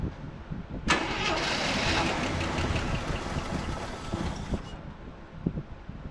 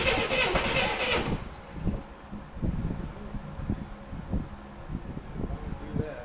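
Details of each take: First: 1984 Chevrolet C10 pickup, six-cylinder, 84k miles, parked since 1993: after fitting a brand-new distributor it cranks briefly, catches and runs evenly with spark restored. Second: 1984 Chevrolet C10 pickup, six-cylinder, 84k miles, parked since 1993: slow, uneven cranking with gas in the carburetor that never catches.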